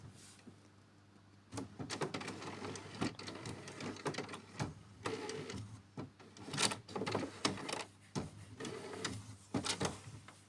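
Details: HP Smart Tank 750 printer running its second-phase printhead cleaning, started by pressing power, then color twice and black once; uneven whirring and clattering in bursts with clicks and motor spins, a normal cleaning cycle.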